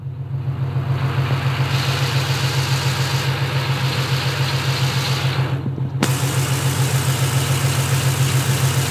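Steady idle with a light, regular click, roughly three to four a second, that comes and goes; source not pinned down.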